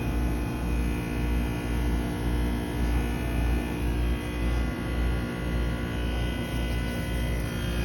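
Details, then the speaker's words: 2008 Trane XR13 heat pump outdoor unit in a long defrost cycle, steaming with ice dripping off, and the reversing valve switches at the end: an even low hum with steady tones and a faint rhythmic pulse. The unit runs normally. "Look, even that ice right there is dripping. There it goes. Alright, I didn't hear the reverse control switch. Oh, there it went."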